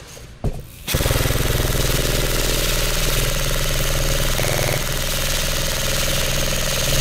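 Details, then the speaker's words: Lancer Tactical Gen 3 airsoft gun in a full-auto torture test, with many magazines fired: fast, even rattle that holds its rate. It still sounds healthy, but a smell is starting to come from the motor grip. "Still sounds healthy, but I'm starting to smell something coming from the motor grip."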